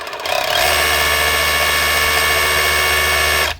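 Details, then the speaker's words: 2019 Dewalt DCH273 SDS drill after cleaning and regreasing, customer complaint of no hammer or mode change: loud steady fast hammering buzz, constant pitch for three seconds, clean stop; hammer striking strongly and evenly, normal. "hammers wild hard, and if you start running it, because the grease is still packed in the front, then once it goes back and forth a few times, the grease starts to squeeze out and runs nice and smooth."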